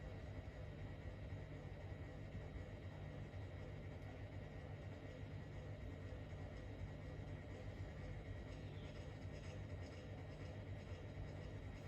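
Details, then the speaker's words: Fan running on low after its capacitor was replaced, drawing 29.5 W and spinning faster than it used to on high. A quiet, even hum with no ticking, rubbing or wobble: normal. "I think that's decent speed for low. It's faster than what it used to run with its old capacitor on high."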